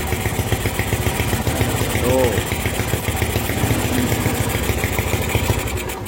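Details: Honda MegaPro single, modified to CB style, idling while the regulator/rectifier (kiprok) is tested for 12 V output after a charging fault caused by a wrong ground: steady low putter at a fairly even idle, no misses or knocks; runs clean.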